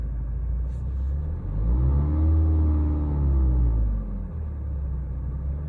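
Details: 2010 BMW E90 320d diesel, 163 hp: deep droning rumble that swells and fades over a couple of seconds, occurs only once engine is warm, whether stationary or driving; cause not identified.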